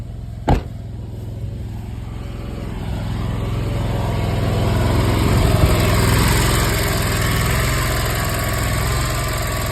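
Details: Zero-turn mower single-cylinder engine, formerly crank-no-start, after rebuilt/new carb, new air filter and new spark plugs replacing badly fouled ones: fires up and settles into a steady even beat with no misses; running healthy.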